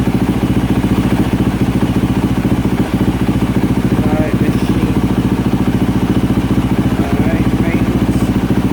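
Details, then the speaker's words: 2024 Yamaha YZ450F single-cylinder warming at idle on water after overheating repair (melted water spout); no trouble codes, water temperature rising 64°C to 75°C. Steady, even thump at a fast idle, no misses or knocks; healthy. "uh let's fire her up and let her just get nice and warm going sit here and let her warm up on her own I'll be right back"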